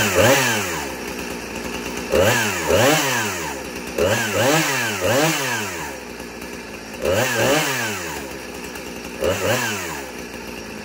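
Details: Old Husqvarna 455 Rancher chainsaw with original 20-inch bar, chain brake removed due to broken spring: crisp blips from idle to high revs every two seconds or so, clean pickup and smooth return to idle; normal running.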